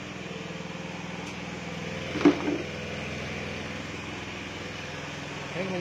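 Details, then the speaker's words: Honda Beat carburetted motorcycle with standard engine, fitted with a PE24 carburettor, idling during setup after jet needle change; low, lumpy, slightly uneven idle with a brief blip, typical sound of running rich (boros), still needs further carb adjustment. "Nah jadi bisa dilihat ya bisa didengarkan juga untuk suara keborosan Biasanya seperti ini suaranya ya"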